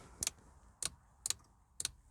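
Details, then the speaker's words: 2003 Volvo V70 estate, ignition on and engine off: crisp electrical clicks about twice a second from the rear as the temperature, tachometer and fuel gauges all twitch; something in the electrics is cycling, cause unknown. "You can hear clicking in the rear, so okay, the temperature gauge is now making that clicking, and the tachometer."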